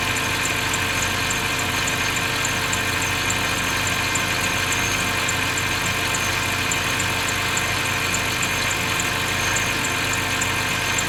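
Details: BMW 530i at idle: steady idle with a thin, high chirp repeating faintly throughout; squeak at idle, source unclear.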